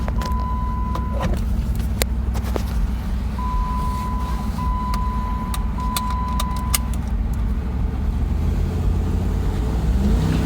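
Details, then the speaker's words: 2007 Jeep Grand Cherokee Limited V8 flex-fuel, after replacing the faulty IAC valve: deep, even full-throttle rumble with no stumbles or RPM dips. Before the repair it had random 500 rpm drops, hesitation and rough idle. Normal acceleration. "floor it and behaves just like it was new so I'm pretty sure that the AIC was faulty it was starting to fail and it just needed to be replaced"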